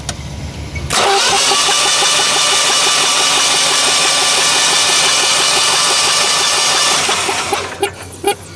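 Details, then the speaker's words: Generac natural-gas generator cranked with spark plugs out and fuel shut off, before a compression test: even starter cranking at about 3.5 beats per second with no clanking or knocking. Normal cranking, although internal piston and pushrod damage was found. "sounds pretty normal there"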